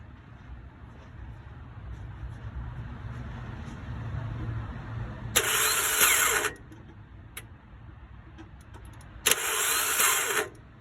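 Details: 2003 Toyota no-start: two cranking tries of about a second each carry a harsh, high whine, and the engine never catches; cause unknown.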